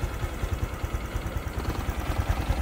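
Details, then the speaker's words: Honda Future 125 scooter at 34,000 km, hot idle: a light, regular tapping knock on each firing beat that occurs when hot but not when cold; piston slap, to be fixed by cylinder repair. "Nó gõ khi trời nóng. Nó không gõ khi trời lạnh."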